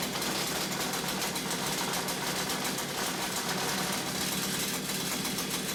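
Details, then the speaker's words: Stihl two-stroke combi unit after clearing muck from its blocked exhaust and refitting it: sharp, high-pitched buzz holding a steady high rev with no bogging. Normal revving. "Right, exhaust tightened, backed on, copper slipped. So let's fire it up and see if it revs."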